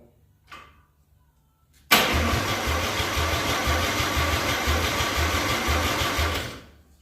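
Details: 261 straight six being prepared for first start, fuel in the carburetor: starter spins the engine at an even three-beats-a-second chug for about four seconds but it never catches; cranks, no start, owner suspects carburetor or coil.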